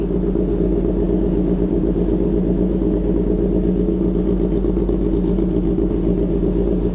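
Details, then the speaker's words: Kawasaki ZH2 motorcycle that would not start because of a drained battery, started in a basement after connecting another battery. Steady, even idle with a smooth low rumble and no knocks or misses; running normally. "so testing k mag-start one click nakakainis so Ayun Ayan na nag-start na siya"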